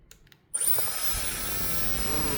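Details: Dyson Airwrap after replacing a suspected burnt motor with a donor motor: silence, then the motor spins up into a steady high whine with even airflow rush and no scraping or stutter; running healthy.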